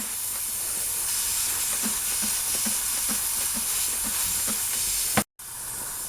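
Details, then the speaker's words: Slowly leaking tire, small puncture hole drilled out for a plug kit: loud, steady high hiss of air escaping through the hole; stops when a drill bit covers the hole. "okay i don't know if you can hear that but it's blowing pretty good i'll put my drill bit over the hole it actually stops"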